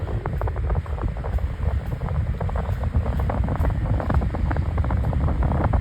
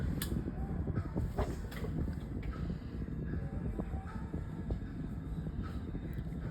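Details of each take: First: 16-inch Arctic Aire oscillating fan on high speed: loud rushing air with steady rhythmic thump and wobble each turn; fan out of balance due to bent blade. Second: 16-inch Artic Aire three-speed oscillating fan on low speed: very quiet, soft steady low hum and gentle air rush with no rhythmic knocking, still blowing a gentle breeze; running evenly and normally.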